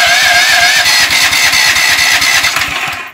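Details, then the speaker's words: Powerfist 420cc engine on a 5,000 psi pressure washer, stored two years after about an hour's use, with new spark plugs: even cranking at roughly three turns a second, no firing even with carb cleaner sprayed in. It won't start; low compression from worn piston rings. "so it sounds like it's trying so what I'm gonna do is spray some carburetor cleaner in there and we're gonna try it again"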